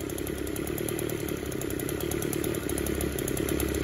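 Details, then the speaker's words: Echo Power Edge 280 curved-shaft two-stroke edger running at a steady buzzy speed with an uneven, wavering note; runs okay at wide open throttle but smothers out and dies at idle, fuel system being tested. "it runs okay wide open throttle but once you kick it down to idle it just smothers out and dies"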